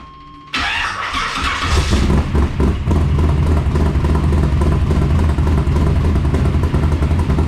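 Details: 1982 Camaro V8 after new mufflers and exhaust installed, recorded on a GoPro: starter catches and a deep, steady burble settles into an even, lumpy idle with a healthy exhaust note.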